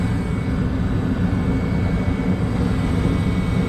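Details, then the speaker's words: Gas furnace during maintenance, lower burners running: steady even low roar with no pulsing, popping or rumble; burners firing smoothly, normal operation. "So 0.3 amps. Lower burners are running."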